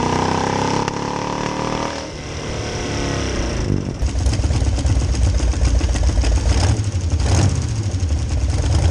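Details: 1966 Chevy C10 rat rod, rebuilt carb: surges and stumbles under load instead of building smoothly; fuel pump can't keep carb bowls full, mimicking ignition problem despite pressure at idle.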